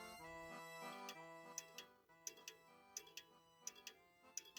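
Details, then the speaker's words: French antique table clock, heard through a funnel while shifting the movement to adjust the beat: ticks come in uneven pairs, a short gap then a long one; the clock is out of beat. "this doesn't sound good this is better and wrong again"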